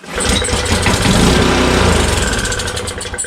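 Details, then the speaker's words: Honda Harmony HS520 four-stroke single-stage snowblower that won't start, at 21°F, on ether starting fluid: cranks, catches and runs ragged a few seconds then dies; spark confirmed, carburetor not delivering fuel, so fuel bowl is dropped next. "All right, so we know we have spark, and it's just not getting any fuel."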